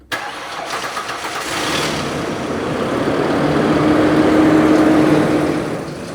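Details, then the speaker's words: 2006 Ford Explorer XLT 4.0 L V6, about 160,000 miles: starter cranks at about four beats a second with an uneven, lopsided rhythm before catching, indicating uneven compression in some cylinders; a bad engine noise also present. "Really listen to when I started. It has uneven cranking, which tells me some compression issues."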